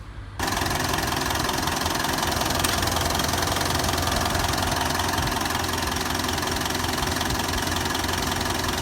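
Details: Mitsubishi Triton 2.5 L common-rail diesel after replacing the fuel suction control valve on the back of the fuel pump to cure hesitation, rough idle and poor acceleration; starts at once and settles into an even, steady clatter of about 160 beats a minute, no hunting; healthy idle.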